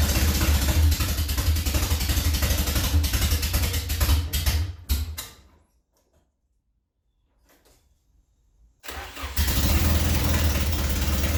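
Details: Nissan Silvia in Canadian winter, after cylinder flooding: engine catches with a deep, uneven drone, cuts out around five seconds, fires again; needs throttle to stay running, stalling at idle.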